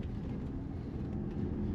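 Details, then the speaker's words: Hyundai ix35 2.0 automatic on a test drive after replacing noisy front suspension bushings: only soft, even road rumble, front end now quiet where it previously knocked. A rear noise remains audible. "porque a frente ficou silenciosa a frente estava muito barulhenta aí agora ele ficou lisinho"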